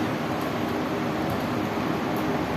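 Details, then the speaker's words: Window AC fan motor that made noise after one or two minutes of running, now reconnected after repair; steady even whoosh of air, no rubbing, squeal or rattle; running normally with no sound. "हां बिल्कुल ठीक है और कोई sound वगैरह भी नहीं आ रही है इसके चलते चलने देते हैं"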